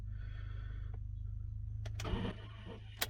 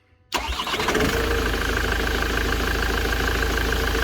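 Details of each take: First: Vehicle with two batteries under the seat (believed replaced), cold: key turned gives only a faint click and low hum, no crank, then another dead click; takes about three tries, battery or wiring doubted as cause, seems better warm. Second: Van after fixing an intermittent starter motor fault. A current check shows the draw has dropped and it turns more easily; a quick crank catches immediately into a steady diesel idle. Clean, normal start.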